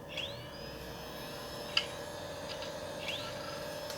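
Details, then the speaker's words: Original Xbox, TSOP-flashed, with errors 13, 16 and 21. The hard drive sits on an antistatic bag and is powered on: a quiet whir with irregular chirping seeks and one sharp click. Noisy hard drive, but it works. "so now we're using this hard drive right here and I can hear how noisy that damn thing is H I can hear it chugging I can hear it it faded perfect okay that's awesome that works"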